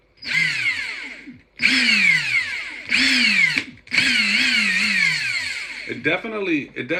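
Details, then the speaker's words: Ingersoll Rand impact gun after maintenance (cleaning, lubricating, re-tightening fasteners that had been making a lot of noise): several short trigger pulls, each a smooth even whir with no rattle; it now sounds smooth, not mechanical; normal run. "definitely sounds different now that I did that used to sound like like there was a lot of mechanical stuff going on it's like there's a lot of smoothness in there"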